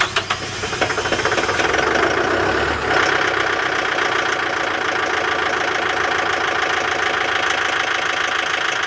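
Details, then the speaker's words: Sold Kubota tractor headed to a beef farm for daily feeding, at about -30°C after a -40°C night: glowed once for about 20 seconds, brief crank, then even clattery diesel idle with no misses, normal cold start; to run 15-20 minutes to warm. "Again, perfect start. Actually only glowed it 1 time for about 20 seconds there and away it went."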